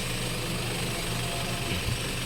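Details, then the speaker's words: Toyota Wigo after replacing one bent connecting rod (no piston rings changed): smooth even idle, tapping knock gone, no smoke; normal idle after repair. "start yon Wala na yung takatak sound wala naung yung tatak sounds mga"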